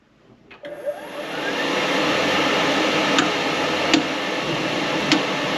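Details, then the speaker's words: Rheem RTGH-95DVLP-3 condensing tankless LP water heater, basement wall-mounted, cover off: soft ignition click then fan revs high, settling to steady airy roar with faint ticks as gas flow modulates to hot water draw; normal firing. "you can hear the burner is fired. It revs up real high at first, and then it actually kind of controls the gas flow. It ramps the flame up and down to make more heat depending on how much draw."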